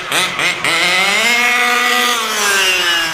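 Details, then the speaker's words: Taylor 35 small-bore two-stroke, untuned, break-in: revs up to a high, slightly burbly wail that never cleans out up top; rich top-end mixture kept deliberately for now, with some bite on the bottom. "See, we're still rich up top, which I want to keep for a while. Next video, we'll start throwing a tune on it. It's not even tuned."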